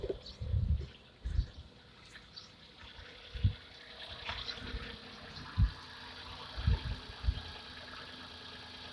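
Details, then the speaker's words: Hyundai Eon engine bay at idle with the air conditioning on for extra load, after adjusting the alternator drive belt tension: quiet steady idle, no squeal or chirp, only a few handling thumps; belts correctly tensioned. "let's give it a an extra load let's turn on our air conditioning system okay so here kinase turned on no unusual sound and then sounds good no squeaking noise"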